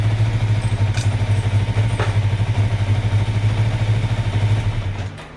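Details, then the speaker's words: 2005 Kawasaki Ninja 500R twin revived after sitting 10 years, first startup after carb work: lopes with a rhythmic pulse, sags and nearly dies, idle won't hold and keeps needing resetting; unstable idle, owner suspects extra air via intake boots, plans to reseat them and test with carb cleaner. "That's about where the idle should be, but I keep having to reset it because, again, it's getting too much air."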